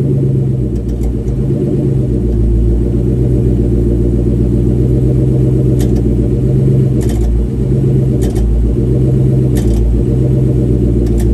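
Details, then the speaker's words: Ford SVT Cobra with independent rear suspension, car running, heard from underneath: steady idle rumble with sharp irregular clicks every second or so; a loose bracket moves and contacts the rear differential, the source of the clunk. "But anyway, so on Justin's car, Justin SVT's car, he still had the bracket, but as you could see, it would move and actually kind of contact the differential. So that's what we were hearing."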